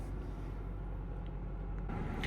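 Low, even rumble with no knocks, misses or squeals; this is a healthy engine idling smoothly just after starting.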